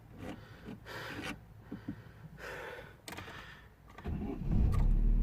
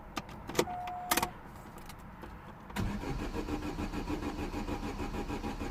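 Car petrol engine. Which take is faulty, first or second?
second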